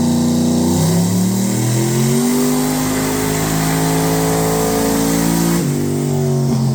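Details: Turbocharged 2.5 petrol engine with VS Racing 78/75 billet next-gen turbo revs up smoothly, no ticking or puffing, after the crossover pipe exhaust leak was fixed.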